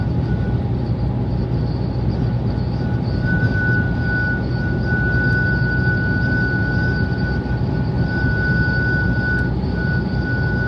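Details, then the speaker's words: Car with new TentBox roof tent on motorway at night: constant low road roar with thin steady whistle on top; owner suspects wind catching the tent at certain angles, noise not constant. "And I did drive home in the night. It didn't make this noise all the time. I think it's when the wind just caught it at a certain angle"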